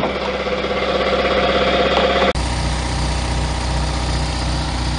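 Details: Sears compressor (sold as 5hp, really about 3hp) after its knocking old head (worn connecting rod and crank, blocked crankcase vent) was replaced with a Harbor Freight 3hp head and intake muffler filter: steady, even chugging, no knocking; much quieter.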